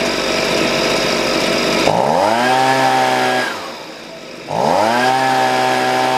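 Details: Husqvarna 125B two-stroke after a new piston (old one damaged by straight fuel) and leaning the low-speed screw: the engine revs high, drops cleanly to a smooth idle and picks up crisply with no dead spot, so the carburetor is well adjusted.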